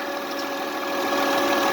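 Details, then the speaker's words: 2005 Honda Accord 3.0L at idle: constant high-pitched whine holding one pitch; power steering pump sucking in air, fluid level checked. "what it's doing it's sucking in air kind of a broken straw when you're drinking a soda you're sucking in bows and stuff that's why it makes that humming sound"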